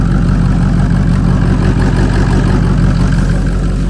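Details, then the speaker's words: 2003 Ford Excursion 6.0 Powerstroke diesel started after sitting two to three years unused; deep, even diesel idle with a steady low beat and no knocks or misses, runs smooth; normal diesel idle. "Okay. Woo. Sounds pretty good. She sounds pretty good, guys."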